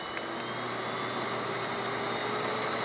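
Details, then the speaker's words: Hoover Windtunnel Anniversary Edition S3670 canister vacuum, suction control set to medium, with some air escaping from the power brush: steady airy roar with faint high whistle, holding even; normal running. "Medium. And that's high. It's nice, so you can adjust your suction on demand if you have a certain pile of carpet that you feel like is too much or too less suction."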